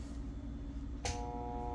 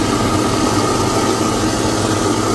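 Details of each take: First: Moen garbage disposal, unplugged, red reset button pressed, plugged back in and switched on: a click, then a steady buzzing hum with no spin-up or grinding, the motor stalled against something jammed inside. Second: Home garbage disposal, unused for months due to clog, after reset and plunging: steady motor hum with a faint high whine, even tone, no grinding or rattle; spinning freely, water drains well and it is no longer clogged.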